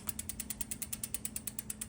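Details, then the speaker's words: Bicycle disc brake after re-aligning the caliper with a shim spacer tool at the squeaky spot; wheel now spins with steady rapid freehub clicking, about nine a second, and no pad rub or squeak. "no squeak great little time saving device"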